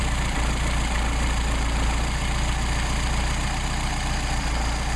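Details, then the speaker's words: Mercedes 190SL Solex carburetors, idle mixture screw being turned out: low uneven idle pulsing about three to four times a second, sagging as the screw is backed out, recovering when screwed back in. "you can hear it start to drop off in idle. We screw it back in. Start to drop off."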